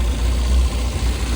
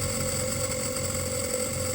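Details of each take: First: Mini 7 S on a dyno, new freshly jetted carb, started on ether, ignition suspected over-advanced, still warming up: steady deep drone held fast without throttle; high idle around 1,800 to 2,000 rpm. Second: Mini 7 S on the dyno, brand-new converted and jetted carb, ignition timing being set, previously hard to start and idling fast: now holds a steady, even note with no stumbling or hunting after carb was stripped and refitted, much improved.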